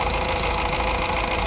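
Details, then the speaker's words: Honda Amaze diesel after misfire repair (had vibration, low pickup, check engine light, DTC P0203): light revving now even and smooth, engine quiet, no stumble; misfire solved and check engine light gone. "Engine एकदम silent हो गया race करो जरा race हल्का देख सकते जो missing का प्रॉब्लम था हमारा वो सॉल्व हो गया"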